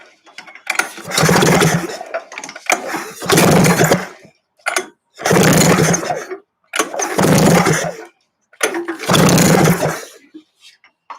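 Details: Freshly rebuilt buggy engine, compression gauge fitted: five even pull-start cranks about two seconds apart, spinning strongly without firing; gauge reads about 136, nearly identical across tests, healthy normal cranking compression.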